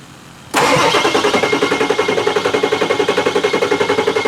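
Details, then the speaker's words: Ford Excursion 7.3 Powerstroke diesel after a 500 hp build, cranking with one fuel pump priming. Steady starter pulse of nearly four beats a second and it never fires. Fuel isn't expected to be the issue; oil is expected to need to reach the top side. "Yeah, the fuel's not gonna be the problem. It's gonna be getting the oil up the top side."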